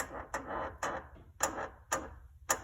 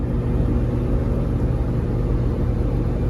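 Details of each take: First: 2008 Lamborghini Gallardo Spider front control arm, about 18,000 miles, arm worked by hand: slow dry stick-slip creaks about every half second from worn control arm bushing, also heard when front lift raises and lowers; control arm bushing creak. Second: 2008 Lamborghini Gallardo Spider driven on city streets after its front control arm bushings were replaced with Ferrari F430 bushings. Only a steady low road and engine rumble from the cabin; the earlier clicking and creaking are gone.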